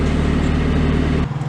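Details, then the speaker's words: 1990 Mazda MX-5 Miata (NA) at idle: after the AC is switched on, the note sags and firing slows and lopes as the compressor loads the engine; idle rpm drops too low with AC on. "listen to what it sounds like after I turn on the AC this is my RPM at idle and this is my RPM when the air conditioning is"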